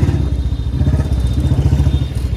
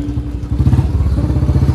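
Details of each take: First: Royal Enfield Standard 350 with a C-type free-flow bend pipe, ridden under light throttle: ragged, puffing exhaust beat because exhaust leaks at the main header pipe joint; planned fix is fitting a sealing ring there. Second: Royal Enfield Standard 350 (Bullet) with free-flow bend pipe, after fitting a gasket ring at the bend pipe joint: deep, even single-cylinder thump, louder, no popping or hiss on throttle release; exhaust/air leak fixed, normal exhaust note.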